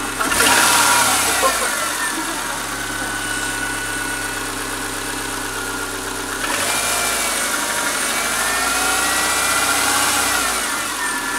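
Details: 2001 Subaru Forester L flat-four, idling and revving: light quick ticking that speeds up with revs, no loss of power; clicking of unknown source.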